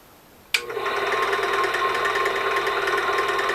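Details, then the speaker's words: 1996 China-made ZJ4110 8-inch drill press, run before teardown and rebuild: motor kicks on into a steady buzzy whir with a dry, slightly rattly edge; sounds a little on the dry side, short on grease suspected, not confirmed. "Sounds like it's a little on the dry side. So now we know it works."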